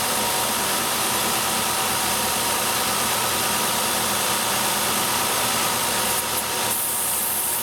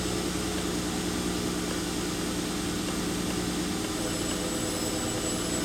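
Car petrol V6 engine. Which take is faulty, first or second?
first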